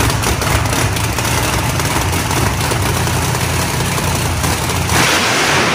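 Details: Big drag race engine on jack stands, final fire-up running through gears before racing: loud sustained roar at very high rpm, dropping only at the end; engine over-revving from a trans brake malfunction, later fixed by rewiring.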